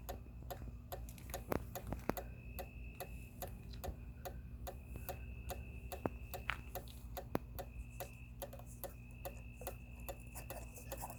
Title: Outdoor Motion Activated Porch Light doesn't work when activated: Makes a constant clicking sound.